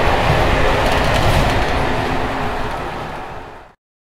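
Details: Evening express run on Czech line 190 (České Budějovice–Plzeň), between Hluboká nad Vltavou and Číčenice, in coach Bd264 481 (built 1979), recorded from the compartment or an open window. Loud rattling rumble over regular wheel clatter about four a second as brake gear bounces on worn Görlitz V bogies.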